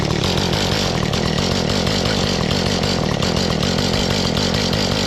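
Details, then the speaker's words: Mantis two-stroke tiller that would start and die, now idling steadily after small carburetor adjustments: even buzzy beat, no stumbling or surging, and snappy on throttle. "Now it's idling good and it's snappy enough when you hit the throttle."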